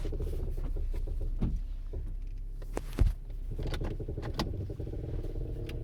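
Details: 2006 Toyota Camry LE, 16,500 miles: irregular dull clunks and knocks over a low running hum when steering and going over bumps.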